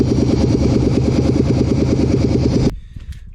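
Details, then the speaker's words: Long-sitting work-rig engine with previously stuck injectors, running on fresher gasoline with no exhaust: loud raw idle thumping about three times a second, still popping an occasional miss now and then. "you can hear it still every now and then pops a little miss in there but i think she's ready to run and the more it gets driven the better it's going to be"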